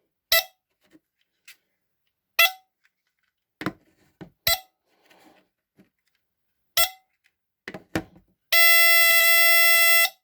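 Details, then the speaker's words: 1978 Westclox travel smoke alarm (Canadian, 9 V battery), phone set down nearby: a few clicks and taps, then a steady shrill tone about 1.5 seconds, like the bigger model but much quieter; horn sounds normally on test. "you can hear it listen so it kind of sounds like the bigger one but a lot quieter as you can tell"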